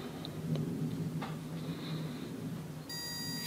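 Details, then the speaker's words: Auto pulse desulfator connected to a Mercedes-Benz W124 E-Class 12 V battery (reading 12.1 V), set to 12 V: low hum, then a steady high electronic tone and pulsing buzz as the repair cycle starts; desulfator running normally. "it will make a buzzing sound it will make BBB and it should repair the battery automatically"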